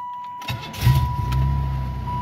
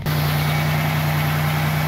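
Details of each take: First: 1995 Buick Regal just started after body dampener replacement: engine catches quickly and settles into a low, even hum with no shudder or body vibration; normal running. A pushrod/rocker rattle only when cold was noted. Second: 1995 Buick Regal after body dampener replacement, cold idle: steady with a faint quick ticking on the low hum; rocker arm rattle only when cold, owner suspects a pushrod sticking up, cause not confirmed.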